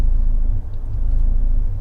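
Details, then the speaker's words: 1.4L MultiAir Turbo Fiat 124 Spider with a persistent cylinder 4 misfire at idle, coil packs 3 and 4 swapped: low, lumpy idle with uneven rumble and occasional dips, load fluctuating about 23 to 40; rough idle, cause unconfirmed. "freaking Idol sounds like the world's about to explode"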